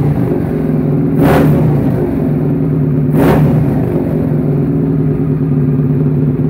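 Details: Suzuki SV650 twin, a self-built "supertwin" project, starting up after a rebuild. It revs up twice, rising and falling cleanly back to a steady, even idle with no knocks or rattles. Engine sounds healthy.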